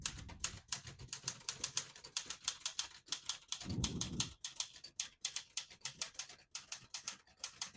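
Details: 1973 Olivetti Lettera 32 portable typewriter, ribbon selector switched down to print red: crisp, even key strikes at a steady typing pace with a brief carriage movement midway; typewriter working properly.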